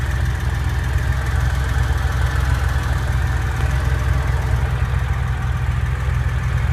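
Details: Porsche 911 flat-six idling deep with heavy, uneven knocking about twice a second; a knock inside the engine, source undetermined.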